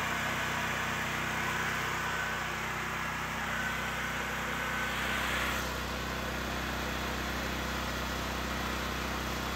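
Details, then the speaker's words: Generac GP6500 generator with the COSense module disconnected to stop it shutting down after starting: a steady, even drone with no surging or hunting, running normally, though it now can't be switched off. "all right so as you can see the generator works just fine now that we got rid of the safety Sally business"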